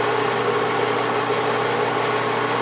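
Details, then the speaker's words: Bell & Howell Autoload 8mm film projector rewinding (reverse direction) after running 8mm at normal speed, lamp off: steady even whir, constant hum, light mechanical chatter, no knocks or strain; normal running. "le vamos a dar ahora que corra hacia sentido contrario del reloj. Aquel es el que está rebobinando, recuerden."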